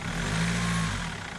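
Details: BMW M47 diesel with the accessory belts removed for diagnosis: brief, even idle with a steady low hum and no knock, so the fault is in the accessory area (crankshaft pulley damper) rather than the timing chain.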